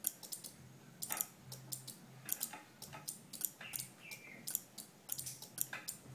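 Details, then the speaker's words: Two relays in a capacitor-driven flip-flop on perf board alternating green and red LEDs as capacitors charge and discharge: sharp dry clicks in quick irregular clusters, quiet background; relays switching back and forth normally. "so you can see the ticking sound of the relay the time that the capacitor one is studying the word other one is distorting that's why LED is helping this alternate lights turning on and off"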